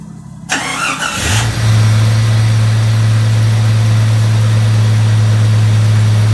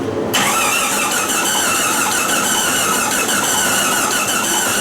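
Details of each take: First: 1999 Jeep Cherokee after engine swap, first fire after oiling the cylinder: engine cranks briefly, catches and settles into a steady, even low idle with no misses; smoky but smooth. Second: 1999 Jeep Cherokee after engine swap, start attempt: steady even starter cranking, engine spins freely but never catches.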